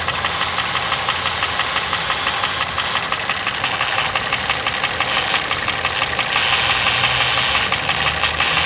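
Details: Toyota 1KR-FE engine with new timing chain, tensioner and guide: sharp, regular ticking knock about three per second over a busy idle, growing as revs rise; cause unknown.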